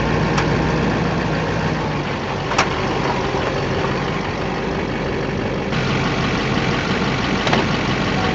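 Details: 2008 Chevrolet Silverado 2500 Duramax diesel idling with sharp, irregular pops while steering. Caused by the engine crossmember bolts, later cured by cleaning and greasing the threads and torquing them to spec; recorded before the fix.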